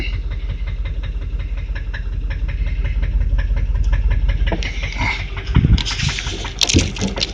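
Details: Land Rover Discovery idling after 30 minutes running, not overheating: steady light ticking in time with idle over low engine hum; exhaust manifold leak.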